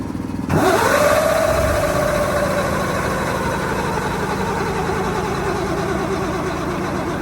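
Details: 1973 Mack FR700 with 250C engine and quad box, after hand-priming the injection pump: steady cranking without catching; owner suspects the pump isn't building pressure and may need bleeding.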